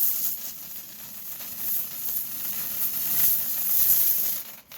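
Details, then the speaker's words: 200 PSI Vapor Rino commercial steam cleaner in dry vapor steam mode, pressure lowered significantly, steaming stuck-on cat vomit on carpet; soft steady hiss that swells and fades as the nozzle works the carpet; normal low-pressure steam output. "And so we lower that steam pressure significantly. And if you listen to the sound, you can hear the difference in sound too."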